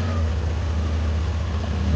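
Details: Yamaha Aerox V2 after valve adjustment and reassembly to cure a top-end rattle: smooth, steady low hum at idle with no ticking or rattle; the top end sounds quiet and healthy.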